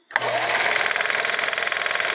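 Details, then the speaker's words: 1955 Viking Type 21 sewing machine after optimizing the motor and mechanism, run at full speed: high, even motor whir with fast steady pulse, no rattle or labouring; running strongly. "good gravy it's going to take off all right if you got anything less than that then your machine is definitely not even close to the power of this machine after it's been optimized"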